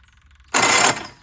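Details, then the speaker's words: Case 1816C skid steer after adding oil: harsh half-second metallic grind as the starter engages, no start; starter pinion teeth not lining up with flywheel because the newly fitted starter was not adjusted right. "the teeth aren't exactly lining up so it's not sounding too hot um I guess I didn't have it adjusted right when I put the starter on"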